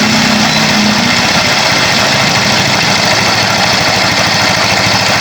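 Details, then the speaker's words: Yamaha Mio i 125 scooter, already overhauled with crankshaft bearing and connecting rod replaced, idles with a fast, busy metallic clatter inside the engine; internal engine rattle at idle. "So Yan po so ipaparinig ko po sa inyo kung ano po ung ah naririnig nating kalansing sa motor"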